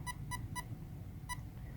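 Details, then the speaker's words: Castle Creations ESC on a Traxxas controller being programmed manually: three short beeps then a fourth mark the drag brake menu, where option one (25% power) is the default; the controller is at 50%, and applying reverse gives three short beeps then two. "that fourth beep is indicating option one at 25% power the default and the speed controller is 50% power so by applying reverse you hear three short beeps followed by two short beeps applying full throttle would choose option two as its setting"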